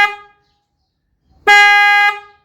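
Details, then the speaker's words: 4th-generation Kia Sportage dual-tone horn with high-pitch horn disconnected or faulty, only low-pitch horn sounding: single short deep dull blast lacking the sharper factory tone. "As you can hear, the sound is much deeper and duller, and it does not have the sharper tone of the normal factory horn sound."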